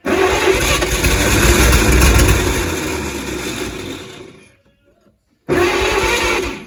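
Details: 1938 Chevrolet Master Deluxe, sitting since the early 1970s: about four seconds of steady cranking, a pause, then cranking again, never firing. It cranks but won't start; owner suspects flooding from the starting fluid.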